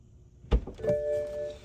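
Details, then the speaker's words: 2009 BMW 328i after water pump and thermostat replacement: electric coolant pump bleeding cycle in accessory mode, blower on highest and temperature lowest, pedal held 10 seconds; soft click then a steady even pump hum, normal operation. "okay I think we're going to just leave it alone for 10 minutes it should cycle through yeah I can hear it there you go"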